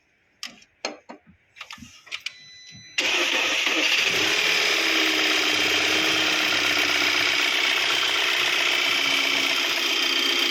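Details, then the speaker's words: VW Tiguan at 90,000 km after engine repair with one piston and valve springs replaced: a few hesitant cranks, then a steady, even idle; engine fine, battery weak. "Listen, the battery is not in good condition either. It doesn't sound very strong. Sound sounds no problem"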